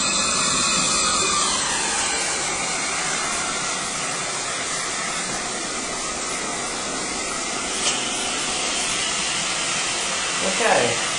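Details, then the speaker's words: Home inspection functional flow test, with the sink and ground-floor bathroom faucets running at once. A strong, steady rush of water with no sputtering or dropping off; supply pressure holds up, normal water flow. "all working well we have supply of water so we can turn all these things off"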